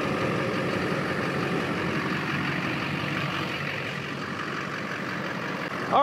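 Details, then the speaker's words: Duramax LLY diesel truck after MBRP down pipe install, old gasket reused temporarily, steady even idle with smooth clatter and no puffing or ticking at turbo, down pipe or front pipe; no exhaust leaks found. "we're good to go no leaks found"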